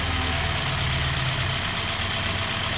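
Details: 2017 Hyundai Sonata with a P0303 cylinder 3 misfire, traced to a bad #3 spark plug (coil swap ruled it out, fault moved with the plug), tune-up with new plugs: steady, even idle with a smooth low hum, no stumble or miss; engine runs cleanly.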